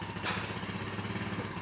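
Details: 2006 Honda TRX350 Rancher, 20 years old and long sat, after carburetor rebuild with repair kit and fuel system cleanup: steady, even single-cylinder thump at idle, no misses or hunting, slight whiff of smoke; normal idle.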